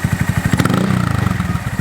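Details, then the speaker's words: Honda Monkey with a Yoshimura SA-18-K low-volume spark arrestor insert, warmed up: even, quick low thumping that rises on a light rev blip and settles back, muffled and mellow. Quieter than the earlier insert. "That's loud. That's loud. That's not as loud as before."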